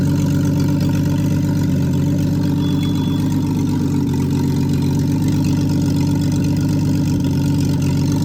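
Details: Freshly rebuilt Triumph TR6 six, head shaved 60 thou (about 8.4–8.5:1 compression), after first start, warmed up, chokes off, distributor slightly adjusted: steady, even low drone with no misses, knocks or hunting; normal warm idle.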